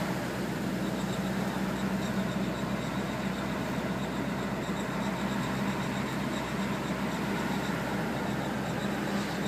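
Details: Audi A4 driving at steady speed: low droning growl under road noise when going straight or turning left, gone when turning right; owner suspects a bad wheel bearing, not confirmed.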